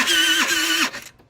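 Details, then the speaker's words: TaoTao 50cc scooter, bought not running, electric start with brake held and headlights on: two half-second strained starter whines sagging in pitch, never catching; owner suspects motor binding from the kickstarter mechanism. "sounds like it sounds like the motor is binding up and I bet it has to do with the fact that this Kickstarter is now functional it's not a normal starting sound"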